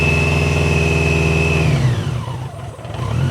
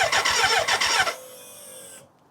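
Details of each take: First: BMW K100 first start after a long layup and a fuel tank overhaul with new internals. Lumpy, uneven idle that dips sharply and recovers, "sounds like a tractor"; it sounded better later; rough running. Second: BMW K100 motorcycle, first start attempt after a fuel tank overhaul with new internals, fresh fuel and the battery reinstalled: rapid, even starter cranking for about a second, then a steady high whine from the fuel pump running.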